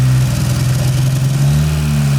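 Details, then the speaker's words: Porsche 924 Turbo, long-sitting, with new spark plug wires and the fuel tank drained and refilled, cold start after sitting overnight: idle much improved but briefly sags with a dead spot; residual old fuel in the line is suspected, not confirmed. "As you can tell, it's idling much better. Much better. Still a little dead spot in it."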